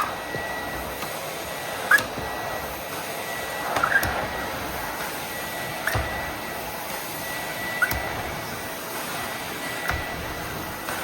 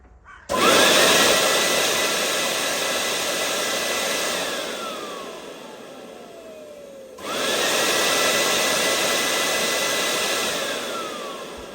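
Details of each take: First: 30-year-old Miele S312i vacuum cleaner after refurbishment: steady suction rush with a sharp squawk roughly every two seconds as the floor head moves; floor head squawking. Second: Nearly 30-year-old Miele S312i vacuum cleaner after strip and clean, run at full power outdoors with lid open: smooth high whine spins up, holds and winds down, restarts cleanly; motor healthy, carbon brushes have plenty of life.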